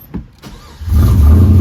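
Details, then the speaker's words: 2004-06 Pontiac GTO after ignition lock cylinder fix with a fresh key, tried hot: brief starter whirr, engine catches within a second and settles into a strong, even low rumble; clean hot start. "Boom, I caught her by surprise and she still works."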